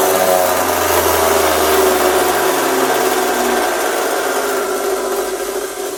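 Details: Italian-made Pegasus floor edge sander motor running and winding down: harsh, rough roar with a gritty rattle, likely worn bearings plus a bad brush, with the motor sparking at the back of the dust port.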